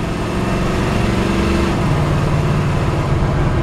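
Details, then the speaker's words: 1954 Ford F-100 driven slowly after a cold start: deep, steady engine drone with an even pulse under light load, no knocks or misses; engine runs strong, transmission shifts perfectly. "but you can hear the engine run strong. Transmission shifts perfect."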